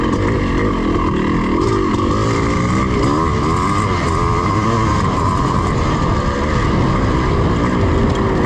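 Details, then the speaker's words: Yamaha IT490 two-stroke cafe racer project, restarted after an earlier ride where it got excessively hot. A steady drone with a rattly, uneven knock over the exhaust at part throttle, which the owner suspects is detonation: knocking when hot. "suspension yeah that noise that to me sounds like detonation but I'm no expert is it just normal is that what it's supposed to sound like"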